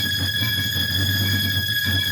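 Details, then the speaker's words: E Vader electric bike with hub motor on Sabvoton 100 A controller, at full throttle spinning the tire; piercing steady whine over rough uneven low rumble, motor fighting itself; cause unknown even with flux weakening off, did not happen on stock wheel. "but if I really give it the beans it'll spin the tire"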